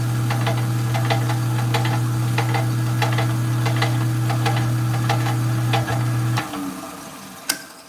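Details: Rock-cutting saw running: steady motor hum with sharp regular knocks about four per second until it spins down; cause unknown, owner wonders if it's the water shield.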